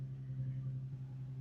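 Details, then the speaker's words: Infiniti/Nissan right after throttle body cleaning, engine warming toward normal temperature before idle relearn: steady low hum at high idle, no dip or hunt; idle high because carbon buildup removed lets more air through. "idle is way high because way more air is getting through that throttle body because the carbon buildup is no longer there."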